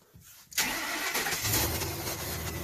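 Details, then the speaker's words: 2007 Ford F-350 Super Duty 5.4L V8, started in neutral with simulated range sensor signal (duty cycle 55/45) to prove neutral: short crank, catches cleanly and settles into steady even idle, no stumble; normal start. "so now it says neutral so go ahead and start it again it should start now we just proved park now let's prove neutral"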